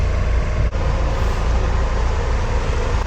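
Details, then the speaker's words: Nissan X-Trail AC blower DC motor after repair with new bushings and brushes, run at high speed: steady, even rush of air with no squeal, rattle or ticking; normal blower operation, earlier noise from worn bushings and brushes. "Ahí vemos ya con el mecanismo de aire acondicionado podemos ver su funcionamiento encendido sin ningún sonido."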